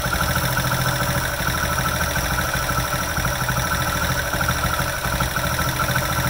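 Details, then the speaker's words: Hero HF Dawn single-cylinder idling after the magneto cover was refitted and tightened: steady idle with a light, even tappet tick keeping time with the engine, no loose rattle; normal. "अभी bike start है और यह cut काटा की जो आवाज ए रही है वो टीपी की आवाज ए रही है"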